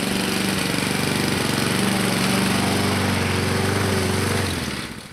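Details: 2014 Husqvarna HU700F self-propelled push mower, Honda GCV160 single-cylinder engine, after carburetor clean and general cleanup: even, steady putter at constant speed, then shuts down; normal clean, healthy running.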